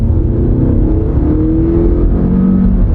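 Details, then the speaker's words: 21-year-old Toyota Camry with new struts, light throttle: engine note climbs smoothly then drops cleanly at barely felt shifts; pulls evenly and runs well; normal acceleration and shifting. "You can barely feel it shift gears. It still runs pretty good."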